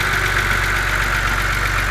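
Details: BMW Z4 2.5si, cold idle: fast even ticking keeping pace with engine speed over a steady low hum; top-end engine tick, cause unknown.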